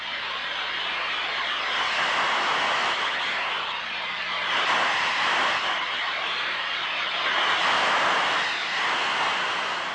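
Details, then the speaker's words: Ultrasonic leak detection: a steady rushing hiss swells and fades as the rubber probe sweeps, loudest at one spot, pinpointing the gas leak site. "area closing in on the leap site by listening for its characteristic rushing sound"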